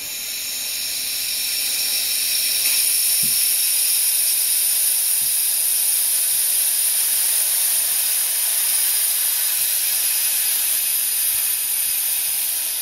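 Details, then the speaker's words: New Quincy QT-54 single-phase 220V two-stage air compressor at about 165 psi: loud steady high hiss, a big air leak from a fitting plumbed against its directional flow arrows. "sounds like I got a pretty big leak somewhere so what happened was a stupid directional flow I didn't pay attention to it was big ol arrows"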